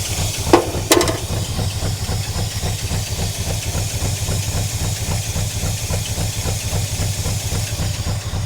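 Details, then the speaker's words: 1976 Chevrolet K20 3/4-ton 4x4 V8 farm/plow truck, sat for years, idling cold: lumpy, uneven loping beat with dropped firing pulses and hiss, engine violently shaking; rough misfire, owner suspects plugs and a vacuum leak. "It's running the same as it was last night. The whole truck is shaking. And the engine is violently shaking, but uh I'm sure after some plugs and the not a huge vacuum leak, it'll be a little better."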